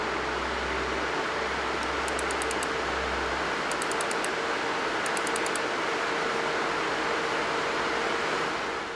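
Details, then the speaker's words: MSI RTX 4090 Suprim graphics card under typical load: steady, even airy fan rush with no rattle, grinding or pulsing; fans sound healthy, though the card has coil whine. "What about noise levels? Well, this is what the GPU sounds like under typical load."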